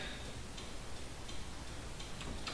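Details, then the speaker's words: 2002 Toyota 4Runner with LED turn-signal bulbs on the stock flasher relay: faint, quick, uneven clicking faster than normal, hyper flash because LEDs draw almost no load so the relay signals a burned-out bulb. "when it doesn't sense that load it thinks one of the turn signals has burned out so it's actually flashing fast as a warning indicator letting you know you need to check your bulbs"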